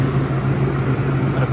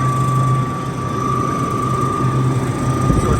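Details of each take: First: Rooftop dairy box condenser unit fans running smoothly with steady hum and airflow whoosh after repair; noisy fan with suspected failing bearings, broken wire found and rewired. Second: Rooftop CU 1A condenser unit for a dairy box: the fans run with a steady high whine over a low rumble; worn bearings in one of the two fan motors.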